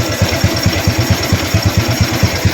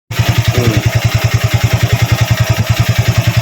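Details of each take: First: Used Honda Wave 110i after a top-end teardown, with a new piston fitted, to cure cam chain and cylinder head noise: an even, regular idle at about six pulses per second with no rattle or chain slap. The repair has made it quiet. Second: Used Honda Wave 110i, single-cylinder: even thumping with dry metallic chatter from the cylinder head, suspected slack cam chain or tensioner problem, to be torn down.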